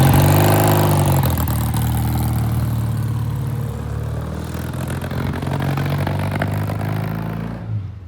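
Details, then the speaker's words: 1967 Triumph twin (green and white), pulling away: uneven, stumbling beat at low revs that smooths higher up, breaking up badly; clogged pilot jet. "Yeah, it's breaking up pretty bad. I can hear it."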